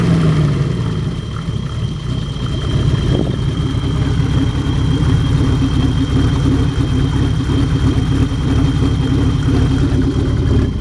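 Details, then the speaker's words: BMW E30 with worsening hard-starting/flooding issue: cold engine idles with an uneven, surging, stuttering lope like a cam; goes away once warmed up and smooths under driving load; owner doesn't know the cause. "now it's loping. Sounds like it's got a cam in it. don't know what causes that."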